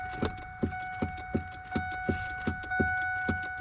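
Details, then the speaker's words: 2002 Ford F-150 Triton V8 4x4 no-start, no-crank even after replacing battery, battery cables, starter and firewall solenoid: sharp clicks about 80 a minute over a thin steady tone, the engine never turns over; cause not yet known. "And this is what I And I still get this"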